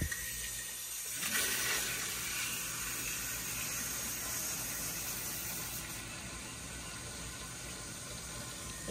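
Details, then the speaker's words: Hydronic boiler replacing steam boiler, filling through opened pressure reducing valve with zones closed: steady hiss and rush of water with faint gurgling, air escaping from main and boiler-top vents, no hammering; boiler filling normally. "you could hear the air coming out there now wait on that air is coming out of the main air vent as well as the air vent on top of the boiler"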